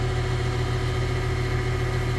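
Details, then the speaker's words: Heat pump on a no-heat service call, air getting significantly hot: steady, even low hum with no rattles, clicks or surging; compressor running normally in heat mode. "go yeah that's getting hot that that's that's significantly hot so it's running in heat mode like it's supposed to um"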